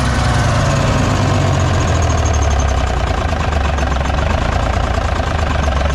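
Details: 1957 Hayes HD diesel truck revived after sitting, started with ether after its coolant was topped up: deep, steady idle with an even, constant clatter and no misses or hunting; it runs well.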